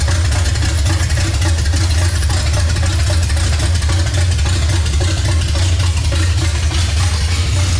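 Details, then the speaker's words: Chevrolet C10 with revived 350 V8, first start after sitting years, timing advanced slightly without timing light: deep rumble settling to steady, slightly lumpy idle; ignition timing off. "well it runs obviously it needs a little bit of timing work but Kim Kim sounds good it always has"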